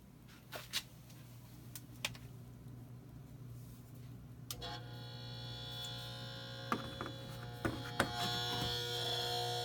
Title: Kenmore Frigidaire refrigerator compressor buzzing sound